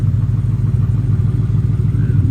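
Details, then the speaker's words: 1971 Ford F100 XLT Ranger Heavy Duty Special with 2017 F150 6R80 transmission, first fire-up after torque converter repair, about 35°F outside: steady, even low rumble under the truck with no knocks, ticks or rattles; normal healthy idle. "Man, everything's sounding great."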